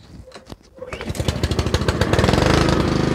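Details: Honda HRR216 lawnmower after winter storage, oil changed: warm engine catches after a couple of pulls and settles into a steady, even putter with no misses; healthy hot start.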